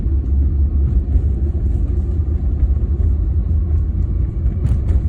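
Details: BMW E36 with 220k miles, while driving: loud deep continuous rumble from under the car, a bad driveshaft center support bearing; replacing it removed the noise.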